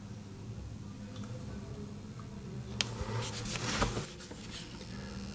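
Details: IKEA Sjöss 30W USB-C charger plugged in with no cable or device attached: very quiet steady low hum and buzz amid handling noise; no-load coil buzz that stops when a phone is charging, while the 45W model stays silent.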